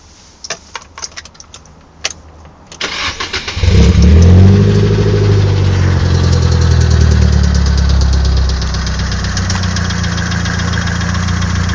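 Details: Nissan SR20DET: a few clicks, then it cranks and fires into a rough idle with a steady tapping about four per second, suggesting an internal engine knock.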